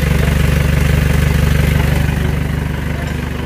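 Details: Isuzu Panther diesel after rebuild with cast liners, idling: sharp, regular chuffing on every firing pulse. Exhaust is blowing out at the leaking flex pipe with a badly worn gasket, while the engine itself runs smooth.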